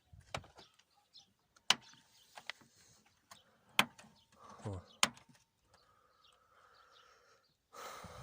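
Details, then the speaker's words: Lada Kalina door after lubricating the squeaking door check strap (limiter): door swings with crisp detent clicks from the check strap and no squeak, a normal sound. "скрипа нет я щелчки ограничители да но такого сильного скрипа уже нету"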